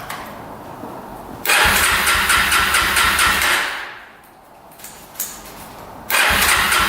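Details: 2005 Yamaha TTR250 single-cylinder after sitting, second start attempt with gas reaching the carb despite a clogged petcock: two cranking bursts with fast, even compression pulses that never fire; fuel delivery fault.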